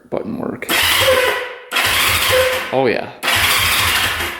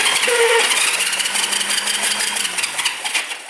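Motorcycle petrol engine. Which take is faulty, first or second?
second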